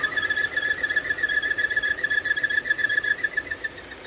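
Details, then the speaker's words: 2017 Volvo XC60 idling with P0507 (idle rpm higher than expected) and P0171 (lean, bank 1): a thin, steady whistle that grows louder when the opening is closed by hand, an air leak felt at the spot; smoke test to follow. "When I close it, see that noise increase. Something leaking right here. I can feel it. Air leak. Right there."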